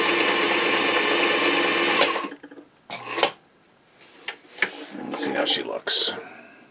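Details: Singer 237 Fashion Mate (237M-A) after a clean, lube and adjust service, sewing a wide zigzag set around 10–12: a quick, even run of needle strokes for about two seconds, then handling noises; normal zigzag stitching.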